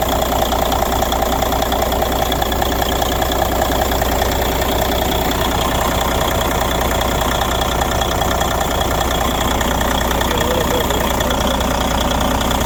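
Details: 1993 International 9200 with N14 Cummins diesel, sitting since 2008, now running after no-start: even diesel clatter at steady idle about two and a half beats a second, constant air hiss; airline air leaks suspected, normal idle.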